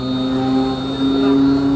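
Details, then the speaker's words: High-pressure booster compressor of a blow molding machine, starting about 6 seconds after the low-pressure screw compressor: an even, low drone with a constant tone and no knocking or surging; it is running normally. "Just press the start. So you can hear the voice. This motor is running."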